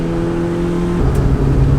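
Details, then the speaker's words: Mazda 121 after swapping in a B6 16V SOHC 1.6 L, heard in-cabin with no sound insulation, pulling hard: strong, even note through the revs, clean pitch drop at the shift, no lifter ticking; strong top-end power; healthy engine under acceleration. "Yeah, the power is awesome. It's so top end heavy, got top end power now as well, so honestly it sounds great."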